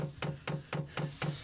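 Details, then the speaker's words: 8 kW Chinese diesel heater installed in a greenhouse and filled with fuel, fuel pump priming: even, sharp clicks about four per second that speed up; normal priming. "There we go. You can hear it clicking away. So that's just priming the pump. We're going faster now."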